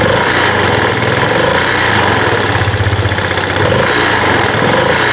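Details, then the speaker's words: Yamaha Jupiter Z1 with rough-noise complaint and top speed only 60–80, dirty black oil found: idling single rattles and chuffs unevenly with a coarse beat, louder with the engine breather opened; the cause is not yet found. "Nah teman-teman tadi bisa Dek dengar itu suaranya lebih jelas kalau kita buka ini karena disini adalah tempat bernapas mesin otomatis suaranya lebih besar kalau ketika kita buka di sini"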